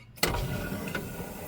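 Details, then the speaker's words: Air window on a vehicle after repairing air valves under the dashboard, engine running with air pressure built: sharp start then about 1.5 seconds of steady whirring and hissing as window rolls down; works normally, though it may need oil. "Yes, perfect. Lovely jobly. Sounds like it needs some oil, but apart from that, it's working."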